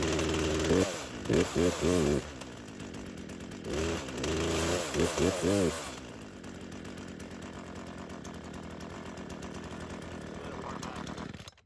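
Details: Craftsman chainsaw that sat unused for years, fueled and on full choke: several rapid pulls on the starter cord in two bursts with no firing or catching; won't start.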